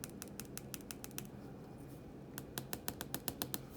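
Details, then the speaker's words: Pilot Super Grip G XB 1.6mm ballpoint pen: light, sharp ticks about two or three a second as it writes, the tip wiggling slightly in its imperfectly fitting aperture and tapping; play can be felt, no spring to damp it. "you kind of hear it tapping that's just because this fit in that little aperture there is not quite perfect so just Wiggles the slightest bit and that will cause it to tap"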